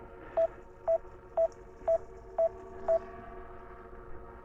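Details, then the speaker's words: DJI Mini 5 Pro controller at 0 degrees during a waypoint mission landing, drone battery at 40%: six even mid-pitched beeps, about two per second. Warning alarm that won't clear, cause unknown. "Don't know why it's doing that, but anyway, I can't get rid of the beep."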